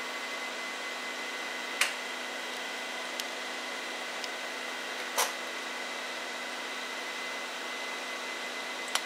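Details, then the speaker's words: Home server booting with its onboard SCSI/RAID controller: steady fan hiss with sharp, irregular clicks every few seconds as the SCSI hard drive clatters now and then. The drive crashed and is failing. "you hear this every now and then you'll hear this thing just start clattering but we go through the boot up screen"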